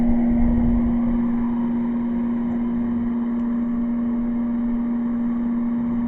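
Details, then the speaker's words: Air conditioner running on energy saver, cool mode, powered by a solar charge controller and power inverter: loud steady low hum over the fan noise while cold air blows; owner says a larger inverter would run it better. "I can feel the cold air here so it is actually working but you'd like to say you can actually hear the home so I mean it is working"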